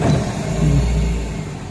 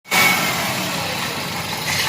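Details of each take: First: After repair of an engine misfire blamed on a faulty ECM/ICM with injector not grounding: deep, even note right after start with no stumble or skipped beats, settling smoothly; engine now runs normally with strong starting. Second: Car engine misfiring with an uneven, lumpy idle and an off-beat stumble as one cylinder drops out; spark is OK but that cylinder's injector is not firing because of a faulty ECM injector driver.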